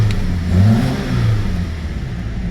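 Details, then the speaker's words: 2009 Saturn Aura 2.4 Ecotec four-cylinder petrol after fixing a crank-no-start, now with all four injectors plugged back in: runs smoothly and revs cleanly, no misfire. "So she probably run a lot better now with all 4 injectors plugged in."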